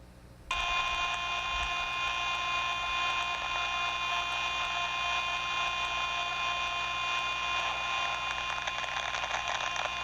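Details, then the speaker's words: Non-pilot-operated hydraulic relief valve in a large manifold block of about 30 valves, heard by ultrasound: steady hiss with irregular crackling and louder rush as it feathers near set point instead of opening cleanly; leaking seat. "So you can hear that relief valve starting to feather. It wasn't a clean open close. There was that sort of crackling when it was on the edge. that's the seat starting to leak over."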